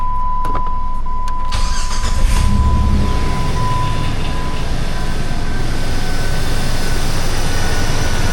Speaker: Start it up very nicely.